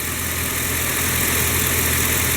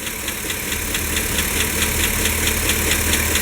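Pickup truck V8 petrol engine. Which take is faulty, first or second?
second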